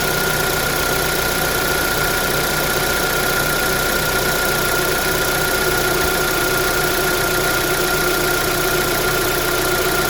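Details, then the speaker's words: 2009 Holden Cruze JG 1.8L F18D4 petrol engine, after replacing the rocker cover with its built-in PCV valve (the bad PCV had caused white exhaust smoke): even, steady idle with a faint constant whine. No hissing or air-sucking is heard; the engine runs normally. "It's not hearing any hissing noise. So when we turn off the car, so nothing hearing any sucking air."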